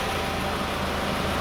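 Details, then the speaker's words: 2002-2006 Toyota Camry that shook at idle with AC on, after alternator replacement (old one gave about 12 V or less); AC and cooling fan on at 12.91 V, even idle hum with fan rush, no vibration or shaking. "So, now the AC kicked on it and the fan kicked on and it's 12.91 again. The car is still not shaking. You can hear it. This weather is smooth."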